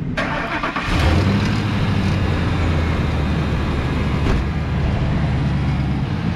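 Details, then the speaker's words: Used auction work truck, apparently diesel, with a leaking radiator and needing rotors but driving and shifting fine. Short crank, then it catches at once and settles to a steady, quiet, even idle with no knocks or misfires. Normal start and idle. "runs good yeah Ron's good I mean it drove it got me home obviously"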